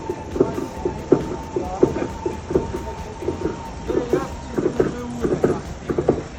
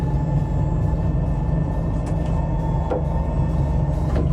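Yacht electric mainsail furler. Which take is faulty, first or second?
first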